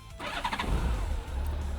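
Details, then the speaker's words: Honda Goldwing trike just after an oil change, started to circulate the new oil; brief crank then a smooth, low, even idle, owner expects it quieter with fresh oil; normal start and idle. "Ty vole, ten zvuk. Motor, ja si myslím, že pôjde aj úplne tichšie s tým olejom."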